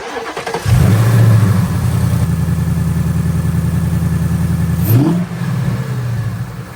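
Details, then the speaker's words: Ford S650 Mustang start-up after filters cleaned with Steeda Precision Filter Cleaning Kit; crank, quick catch, strong rev flare, then deep even high idle settling smoothly, whine heard better; normal healthy cold start and idle. "I don't know if you heard it on there, but I hear the wine way better now. Like, it sounds like five times better since they cleaned."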